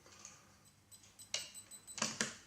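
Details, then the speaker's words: DEC PDP-11/04 H777 power supply on test with 240 V fed through a resistor, the transformer buzzing and relay terminals 1 and 3 shorted: a few sharp, uneven clicks as the relay tries to pick but lacks the voltage to latch. "You can hear it trying to pick, but it's not enough voltage to turn it on, so we have to wind it up"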